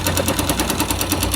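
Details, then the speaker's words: 2005 Yamaha YBR 125 found with very low oil, refilled, smoking and leaking at the clutch seal: sharp dry knock about ten per second over the engine note. Worn connecting rod knocking. "esse barulho esse batido seco"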